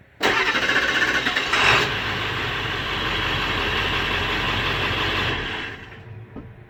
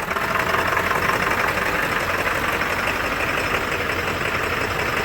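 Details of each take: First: Late-1999 Ford Super Duty 7.3 Powerstroke diesel that sat 3+ years, fitted with a Denso starter. Quick, even cranking beat near four per second for about five seconds: unusually fast cranking. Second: Late 1999 Ford Super Duty Powerstroke diesel, first start after sitting over three years: loud uneven clatter, hissy top end, stumbling idle that won't settle, then cleaning up. Rough idle from air in fuel system.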